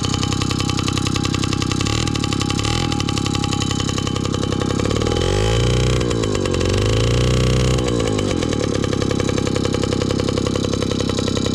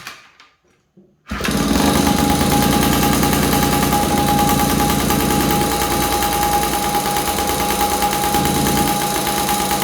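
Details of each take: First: 1983 Honda QR50, unrestored 49cc oil-injected single-cylinder two-stroke, just started from dead cold: steady buzzy running, pitch rising and falling with throttle blips; runs normally. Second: 1983 Honda QR50, unrestored 49cc oil-injected two-stroke single; owner suspects a nudged part gave extra airflow: silence, then catches into busy buzzing idle with thin whine on top; engine starts and runs, cause unconfirmed.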